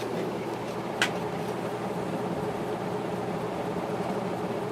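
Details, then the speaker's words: Antique Century 60-inch three-speed shaded-pole ceiling fan on high: brief scraping while coming up to speed, then a steady, even airy hum with no wobble; running normally at full speed. "there's a little bit of a scraping noise when it comes up to the speed I don't know what's causing that but it goes away when it gets up to speed"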